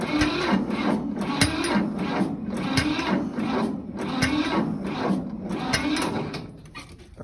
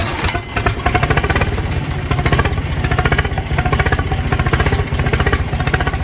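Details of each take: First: Diesel equipment-yard tractor on a cold start around 60°F, boosted from a NOCO Boost battery pack, with glow plugs used: the starter churns steadily at about three compression strokes a second, but the engine never catches; it cranks without firing. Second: 50 hp diesel tractor on a cold start around 60°F, started from a dead battery with a NOCO Boost jump pack: steady even idle clatter with a clear low thump and no misses. Running normally.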